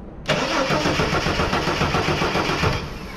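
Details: 1983 Ford XE Falcon 4.1L Crossflow EFI, sat for years, ex-LPG with mystery wiring: starter cranks steadily at three to four beats a second but never catches; spark and other causes being checked.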